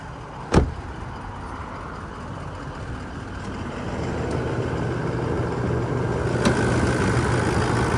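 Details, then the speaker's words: 2020 Toyota Land Cruiser 200 Series VX V8, full Toyota service history, idling with bonnet open: door thump then low, smooth, even idle with no knocks, rattles or squeals; healthy engine. "as we listen to it run no knocks rattles or squeals it's that V8 motor ticking over nicely"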